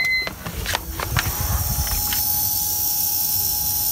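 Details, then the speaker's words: 2004 BMW E46 330Ci SMG/SSG gearbox hydraulic pump priming on key-on after car was stuck in first; a few clicks then steady one-pitch electric motor whine, the wanted sound; owner concludes pump was bad. "what if we do the key again that's the sound we want"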